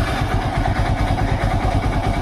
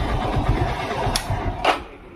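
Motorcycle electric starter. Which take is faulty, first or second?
second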